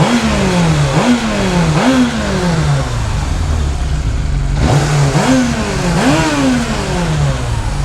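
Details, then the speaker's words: 1998 Yamaha YZF600R Thundercat after transmission and engine rebuild, rear wheel off ground: repeated blips, revs rise and fall with ragged note; runs rough, carburetion needs adjusting, no leaks or oil burning, all gears work. "i am excited that this thing started up and ran now it does run rough i'm gonna have to adjust that but runs sounds healthy revs up doesn't burn any oil"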